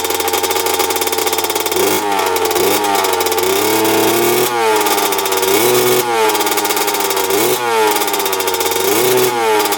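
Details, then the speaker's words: 2000 Honda CR125 two-stroke, first start after cleaning, at full throttle: revs climb in blips but sag and fall back instead of cleaning out, with heavy white smoke; bogging under throttle, and the owner wonders about water in the gas. "that's smoking a ton looks like white smoke too wasn't clearing out super boggy um that was Full Throttle I was doing just puffing out a ton of white smoke"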